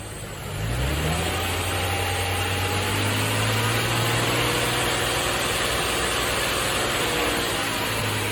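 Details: Nissan Fairlady Z Z33, VQ35DE V6, automatic, 310,000 km, just after a DIY engine overhaul: the engine catches, rises smoothly and settles into a steady, even note without ticks or knocks. Running cleanly.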